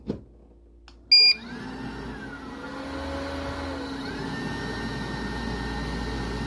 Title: Aillio Bullet R1V2 IBTS Fan Buzz Noise